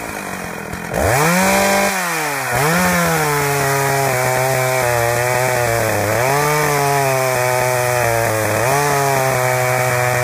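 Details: Husqvarna 61 chainsaw fires up, then runs unevenly, stumbling and popping as speed dips and recovers; intermittent misfire from a loose kill switch wire bouncing around in the case and shorting out, causing a popcorn sound.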